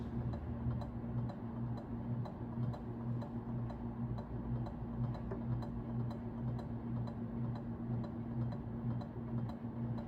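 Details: Early-1980s Carroway 52-inch ceiling fan, model EF100, 120 V, at medium speed: steady light ticking about twice a second over a soft motor hum, likely from the canopy rubbing the electrical box; otherwise pretty quiet.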